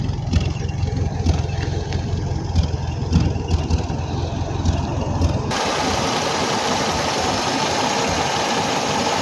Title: still a slight misfire